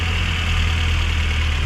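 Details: Suzuki APV/Ertiga petrol engine at 111 km odometer, after ignition coil work on a complaint of rough idle, heavy vibration and low power, now idles with a steady, even low rumble and no misfire stumble.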